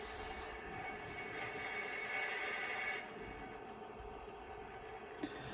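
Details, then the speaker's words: IBM PS/2 Model 25 (8086) with 20 MB hard disk: the drive gives a loud, steady, high-pitched scream over a faint hiss; cause not confirmed. "if somebody would care to comment what can we do to silence these drives down"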